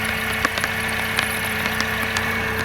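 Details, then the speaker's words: Mercedes C180 Kompressor (W203, M271 supercharged) idling after head gasket replacement: busy idle with a light irregular ticking over the engine note; owner suspects a small exhaust leak, unconfirmed. One warning light, as before the repair. Coolant low. "Might be an exhaust leak. It is running. I claim victory."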